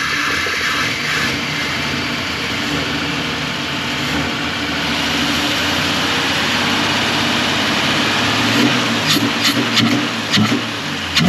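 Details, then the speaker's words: Truck with a crate motor, recurring problem: engine idles unevenly with an irregular, stumbling beat; rough idle, number one plug clean with lower compression, suspected lifters pumping up while running, cause unconfirmed. "Every time it runs the exact same. It's almost like the lifters pump up when it's running, it's not making a compression."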